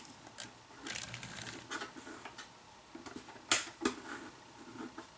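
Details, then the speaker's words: AHM GP18 locomotive, older, before cleaning, at about 50% power reversing on a test track: faint uneven buzzing with irregular ticks and stutters; jumpy running from wear and buildup on the wheels. "yeah I'm at full whoa there we go but you can see he's very jumpy that's at about 50% power just reversing him backwards and forth he's sounding kind of grummy in there"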